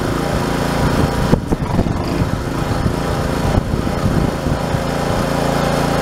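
Small engine catches and settles into a steady buzzing run at constant speed after a couple of brief dips; it's running normally.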